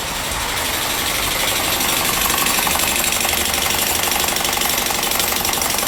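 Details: Car engine with a large abnormal noise audible even from a distance: loud running with a fast, fairly even tick about four times a second over a harsh hiss; suspected sources are bearing, turbo or compressor, not yet pinned down.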